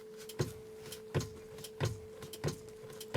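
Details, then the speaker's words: Mercedes/Dodge Sprinter horn not working: sharp single relay clicks about every 0.7 seconds with no horn tone; fuse and relay judged good, defective horn suspected. "i'm sure at this point the fuse and the relay is good because i can hear the really click listen"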